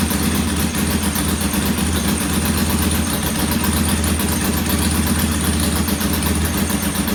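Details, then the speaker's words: Norton P11 vintage British twin at first kick-start after a full carburettor strip and draining old gasoline for fresh: loose, uneven idle beat that never settles; one pilot jet isn't following adjustment like the other side's, so it's to be cleaned again. "I'm going to clean this pilot jet one more time."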